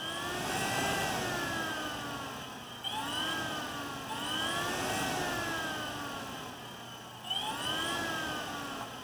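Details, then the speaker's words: Yamaha Banshee fitted with a ZX7R 750cc engine, overheating diagnosis: fan switch pins bridged by hand to power the fan; fan hum swells and sags every couple of seconds as contact cuts in and out, motor spins freely and pulls good air; fan working normally. "See, the fan is staying on. That's just me wiggling my fingers. It's hard to do this with my hand. Hear the fan? And it's blowing, it's pulling good air."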